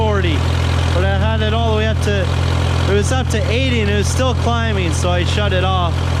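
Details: Case VAC tractor idling after a new aftermarket water pump was fitted (it stopped cooling after a coolant change); coolant now flowing, gauge warming from about 30 to 35–40°C. Steady, even low idle hum, no knocks or misses, background music; healthy.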